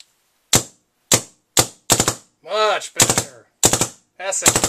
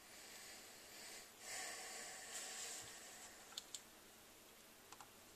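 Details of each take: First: DLX Luxe 2.0 paintball marker on a 600–650 psi medium-pressure tank, after the grip frame leak repair with bolt guide and o-rings replaced: sharp single and rapid triple shots, each crack clean with no hiss, firing normally with no leaks. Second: DLX Luxe 2.0 paintball marker with the known grip frame leak, during troubleshooting. A steady faint high hiss with light clicks as gas escapes; the leak seems to come from the solenoid area.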